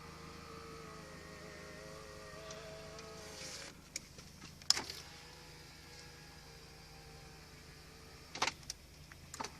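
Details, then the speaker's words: 1992 Volvo 244 power window motor, after disassembly and greasing (it had only tried to turn before): smooth, even whir at steady pitch ending in a soft clunk, running freely without laboring; normal window motor operation. "So I greased everything up, and now it sounds pretty good. You can see it's not laboring or anything."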